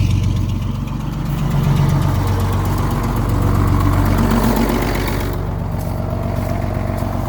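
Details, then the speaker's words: Old diesel truck sitting about 3 years, cold weather, fitted with muffler, just started on new batteries: steady even idle, low regular thrum, no knocks or misses; running cleanly. "I did end up putting a muffler on this truck because when you're going down the highway, you can hear it from like 10 kilometers away."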